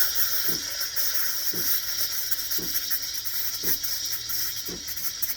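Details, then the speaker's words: Sumsaty espresso machine steam wand after purging water: steady hiss with a soft paper-tearing flutter about once a second as the wand draws air, milk foaming properly for a latte. "Now from here, when you start steaming your milk, you're going to be listening for a paper tearing sound. When you hear that sound, you know that the milk is creating a foam."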